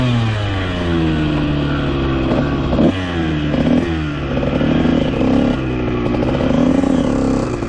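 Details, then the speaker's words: 2001 Honda CR125 two-stroke dirt bike after top-end rebuild for a deformed piston ring and main jet changed from 380 to 370: crisp revs climbing and dropping through several blips, revving out fully and consistently, no top-end breakup. "So, when you gun it full throttle, you can watch in the GoPro footage, it actually revs out all the way and stays consistent throughout."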